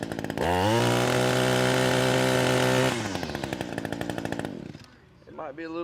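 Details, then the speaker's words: Echo SRM-225 two-stroke trimmer after cleaning carbon from the exhaust port to fix low power; revs to a strong, steady high-pitched full-throttle scream then settles smoothly to idle, running free. "harder for y'all to tell the difference but there is quite a big difference to"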